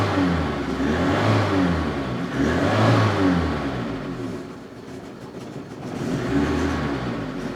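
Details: Opel Ascona carbureted engine being revived, still running on old contaminated fuel: revs rise and sag unevenly and won't settle into a steady idle; owner suspects clogged jets.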